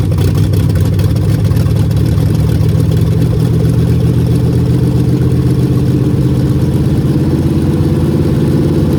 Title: bad bearings on a mopar 400 big block.